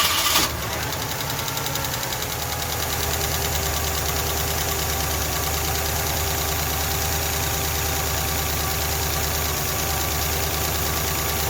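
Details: Ford LTD engine with new camshaft and lifters but milkshake-contaminated oil: steady idle with a light, uneven tapping about three times a second that quiets slightly; valve train tap, engine to be torn down again.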